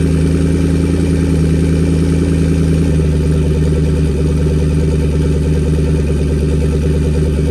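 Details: Car with new turbo and MAP sensor, started to check a leaking water pump gasket: steady low V8 burble at idle with lumpy cam rhythm, no stumbles; healthy idle, no leaks so far.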